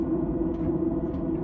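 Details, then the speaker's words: Webasto Airtop 2000 STC gasoline heater in a Ram Promaster van, running after an exhaust muffler was fitted: a steady, even low rumble and drone with no knocks or surges. Still audible but much quieter than before. "So you can still hear it, but it's a lot quieter than it was."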